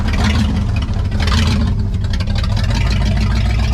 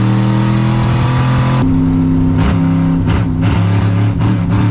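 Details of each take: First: 1963 Chevy Impala wagon V8, parked about 20-30 years, at idle: loud, deep, uneven loping idle; cylinder check finds cylinders not firing; misfire. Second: 1963 Chevy Impala wagon V8 after fuel filter moved to pump's pushing side, warming up: strong, even rumble with no misfire; all eight cylinders running normally.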